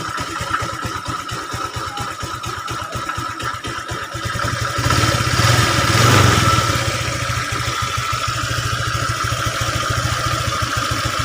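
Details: Honda Vario 125 FI scooter after water pump seal and bearing replacement (originally overheating, rough running when hot): steady, even single-cylinder idle with a quick blip, no knock or rattle; sounds healthy.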